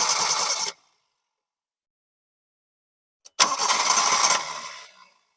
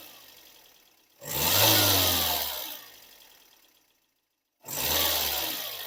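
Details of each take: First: Engine on first start catches briefly, bogs down and shuts off; a later crank only spins and fades without running. Points to fuel starvation, with a suspected fuel pump not building pressure. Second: Car that would not start, diagnosed by spraying starting fluid into the throttle body as a failed fuel pump; after replacing the pump, two quick starts each catch cleanly and settle into an even run with no misses.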